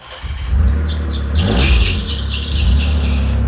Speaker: What's that noise? I don't know, but it ain't getting any better.